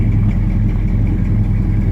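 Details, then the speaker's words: 1969 Dodge Charger 500 Daytona with original matching-numbers drivetrain idling: big V8's deep, lumpy rumble with a faint puffing edge from an exhaust leak. "You can still hear that exhaust leak coming out of the car."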